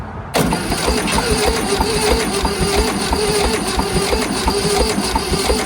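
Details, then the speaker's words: 1971 VW Super Beetle after 20+ years sitting, cranked on a jumper pack; slow, even starter churn with regular compression pulses and no firing; cranks too slowly to start, low cranking power or compression suspected. "Well, it sounds like it ain't getting enough to put it through it over fast enough. These didn't turn over very fast."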